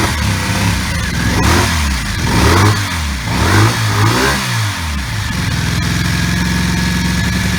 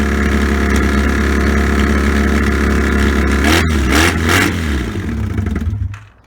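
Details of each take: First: 1984 Honda V65 Magna VF1100C barn find, first run with open pipes: uneven, lumpy firing and hesitant revs, stumbling as if missing, owner says running on two cylinders; smoke from protective bike spray burning off; misfire, cause not confirmed. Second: Barn-find 1984 Honda V65 Magna VF1100C on open pipes, first start after revival. A loud, even, deep idle with a couple of throttle blips, WD-40 burning off, then it shuts off: normal running.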